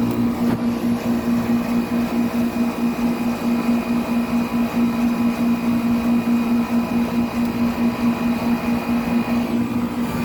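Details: 1995 Tempstar 5000 central air conditioner with a Copeland reciprocating compressor, first startup of its 29th cooling season at about 87°F outside: steady, even low hum with a smooth fan whoosh and no knocks or rattles; it runs healthy.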